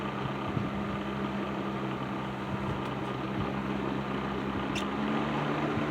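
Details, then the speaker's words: Patton 12" box fan, later model with black Fasco motor, after servicing, started on low speed; steady motor hum with faint rattle, reduced from before, no speed wobble; normal running. "So yeah, I think this fan is right where it needs to be now. Um, fan Fan is still a little rattly, but not as bad as it was before."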